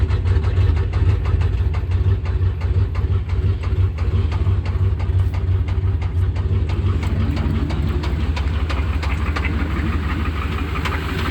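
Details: 1988 Chevrolet C1500 Silverado 305 V8 idling before an oil change: deep rumble with a steady knock, roughly three beats a second; bad engine knock.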